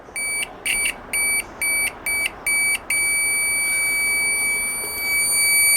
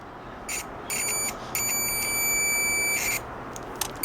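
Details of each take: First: Chinese multimeter continuity buzzer, originally very faint, replaced with a microwave oven buzzer: six sharp high beeps then a loud steady piercing tone, much better. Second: Cheap Chinese multimeter on continuity setting: thin, high beeps in irregular bursts from its original small on-board buzzer, audible but too weak; it is to be replaced with a microwave-oven board buzzer.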